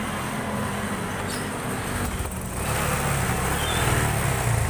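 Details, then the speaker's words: Honda Supra 125 FI motorcycle that won't idle and sputters, spark plug and ECU reset ruled out: uneven stumbling idle; cam chain apparently installed wrong earlier by the owner or a previous shop. "Ini kita geser ke atas, soalnya kayaknya salah ini masang ketengnya orangnya atau bengkel yang sebelumnya ini masang, jadi suaranya pincang-pincang. Pemasangan keteng yang salah juga bikin motor nggak normal ini."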